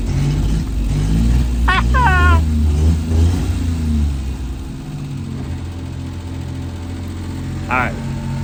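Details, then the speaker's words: 1988 Daihatsu Hijet mini truck, left sitting for years after breaking down: engine catches, revs, then settles into an uneven, lumpy, wavering idle, running rough; carburetor turned a little more and idle smoothed slightly; cause not confirmed. "running rough I turned the carburetor a little bit more it's idling a little bit smoother"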